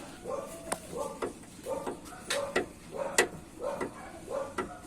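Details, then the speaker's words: Repeated hollow metallic clunks with brief ringing, about one and a half per second, heard when a Chevy goes over a speed bump: a loose underbody sheet-metal panel, fixed by spot-welding. "buen en realidad nada más hay que ponerle unos puntos que el ruido se escuchaba como tipo Violeta pero pues al agacharme me percaté que nada más estaba la lámina zafada"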